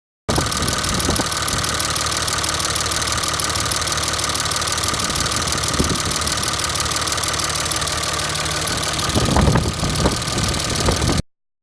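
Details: 2003 Dodge Ram 3500 Cummins diesel, after knocking badly and blowing white smoke while hauling sucker rod: hard rattling clatter over idle, never letting up; injector suspected, not confirmed.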